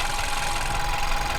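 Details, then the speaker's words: VW New Beetle 1.2 petrol, about 80,000 miles, at idle: fine fast tapping under a faint whistle persists after replacing the high-pressure fuel pump roller cam follower; high-pressure fuel pump next suspect, tappet clearance also suspected. "So unfortunately we've replaced the cam follower and we've still got the noise. So it now means that we may have to replace the fuel pump."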